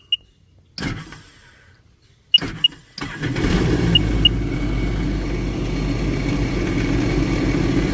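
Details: 2007 Sea-Doo GTX started after a steering cable and hull fitting replacement: a few chirps, then it catches at about three seconds and settles to an even, steady idle. A healthy start.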